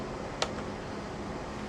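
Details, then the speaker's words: HP 5900AF-48XG switch after the fan airflow direction was set to port-to-power to clear the FAN_DIRECTION_NOT_PREFERRED error on slot 1: an even, steady airy fan rush with no ticking, rattling or whine, normal fan noise. "so look at that if you can hear that the noise of this of the switch is totally normal now"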